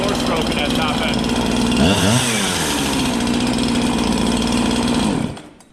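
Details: Husqvarna 365 chainsaw with a new piston and cylinder, full throttle with no load: high steady scream with uneven burbling break-up, then rpm drops off. Rich four-stroking, healthy fuelling.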